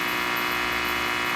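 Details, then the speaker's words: Rectifier diode test fixture with snubber capacitors removed from across the diodes: constant harsh buzz of dense steady tones; diode switching noise that the capacitors dramatically reduce. "Look at that. That is a lot of noise. Two 50 cent parts will dramatically reduce that."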